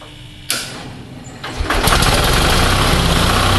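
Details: Onan 6.5 kW RV generator set warming up on its original ignition, fuel pump and carburetor pre-primed via an added prime switch: sharp starter catch, brief pause, then fires and settles into a steady even run; healthy.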